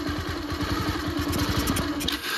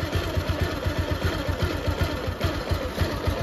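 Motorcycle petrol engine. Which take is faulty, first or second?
first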